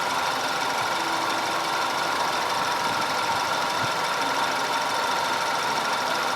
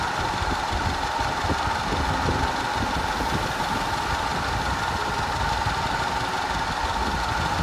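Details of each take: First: 2010 Audi A5 2.0 TFSI Cabriolet after repair of random and constant cylinder 4 misfire (P0300, P0304, P130A): even, steady idle with no stumbles or dropouts and only a light valvetrain tick; running smoothly. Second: 2010 Audi A5 Cabriolet 2.0 TFSI at idle with codes P0304, P0300 and P130A: an uneven idle with an irregular stumble and shake, from a random misfire plus a constant cylinder 4 misfire.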